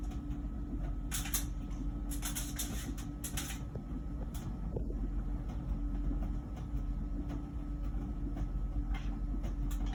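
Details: About one-year-old LG Wash Tower WKHC202HBA heat pump ventless dryer, before the new buzz begins: low even rumble with soft irregular thumps as the load tumbles; running normally.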